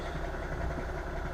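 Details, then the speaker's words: 2011 VW Jetta MK6 TDI diesel with DSG, cold start around -7°C, idling briefly: low, uneven rattling rumble from a slightly noisy dual mass flywheel, audible with underbody shield on and hood closed. "The dual mass is a little bit noisy. So you can hear the dual mass, even though the plastic shield under the vehicle is there, hood is closed and everything."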